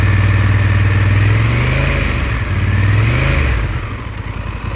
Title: rattling noise aftica twin 1100